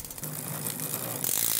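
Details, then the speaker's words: Bicycle rear derailleur with limit screws set to extreme, far-apart positions: rough ratcheting clatter and chain chatter while shifting, never settling cleanly. Poor shifting not caused by the limit screws; deeper fault under investigation. "we got a couple of things right here we need to dig in deeper foreign that sounds terrible"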